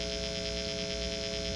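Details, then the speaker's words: 1966 Harmony H14 Bobkat guitar through a test amp, miked by a Shure SM57 at the speaker, with loud steady mains hum and buzz because the strings and bridge lack a ground wire. "What I've done is I've put this Shure SM57 right up next to the speaker of my test amplifier on the desk there. As you can hear, there's quite a bit of noise."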